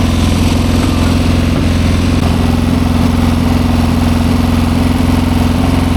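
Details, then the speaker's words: 1972 Triumph Bonneville 650 twin, long unridden, after finding which way the choke goes and switching it off: steady, even idle with a smooth regular beat, no stumble; normal running, new spark plugs fitted next. "Yeah, that sounds a lot better now that the choke's off."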